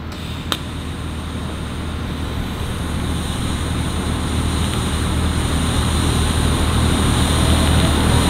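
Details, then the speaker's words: TIG welding on a Foxbody turbo kit build, after fixing poor ground: steady hissing buzz with low hum growing louder and harsher; suspected arc held too long, tungsten possibly too far out or too hot. "It sounds like the tungsten. It sounds like you have a long arc."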